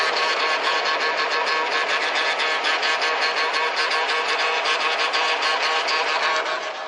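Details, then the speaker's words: 2000 Ford Expedition 4.6 that stalls in drive and won't move in drive; in reverse at idle a harsh, steady grinding whir comes from the transmission pump. Owner is sure the torque converter has failed and the clutches are good. "So, uh, the transmission torque converter has failed. I am positively 100% sure that that transmission is absolutely nothing wrong with it. There's reverse. It's trying. And now you can hear that pump."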